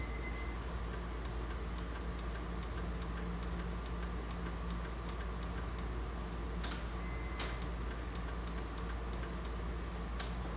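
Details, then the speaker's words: Honda Insight with hybrid system not in place, trying the backup conventional starter by key: steady light ticking about three per second over low hum, engine never turns over; starter problem suspected, not confirmed. "and no dice it would appear that there's something going on with the starter"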